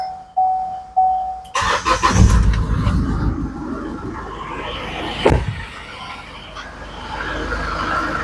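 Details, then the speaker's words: Trailblazer/Colorado-type engine after 8 rocker arms were replaced, with no bent valves: dash chimes, then a short crank that catches at once into a smooth, even idle, a normal first-try start after the repair. "Nakita nyo, one click."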